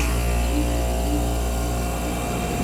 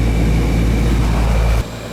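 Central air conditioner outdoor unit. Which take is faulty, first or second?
first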